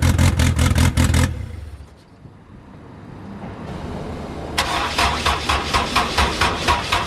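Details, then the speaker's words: Honda S2000 AP1 after turbo install, first startup with two clamps missing: runs briefly, goes quiet, then fires and settles into an even steady idle, starting cleanly without misfire. "all right so as you guys saw the first startup it went perfectly fine"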